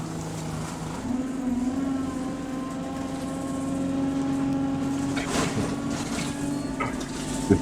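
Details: Bus hydraulic power steering pump, normal: a steady low moan over the diesel whose pitch follows engine RPM; ordinary pump noise, nothing wrong.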